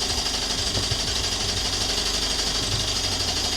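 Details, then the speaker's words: 2014 Audi A1 1.4 TFSI after a replacement gearbox, new clutch, drive shafts and oil service, cold start: loud, busy clatter with a rough tick about three times a second over a hissy idle; cause unknown, owner wonders about gearbox or new clutch. "Well, that was a cold start. It's a little bit noisy. [Music] [Music] I don't know why is it so noisy."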